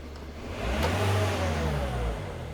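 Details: 2003 Nissan X-Trail 2.2 dCi (T30) with fault code P0120 that would not rev, tested with a bypass wired in: the engine note climbs smoothly with throttle, holds, then returns to idle. It now revs freely.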